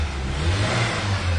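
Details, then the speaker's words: 1997 Ford Ranger with hard start and rough idle, low fuel pressure, suspected bad check valve: revving with rough uneven drone, stumbling badly on throttle; low fuel pressure explains low power on test drive. "When I hit the gas pedal right now, the truck stumbles terribly. So that explains why I had the low power on the test drive initially."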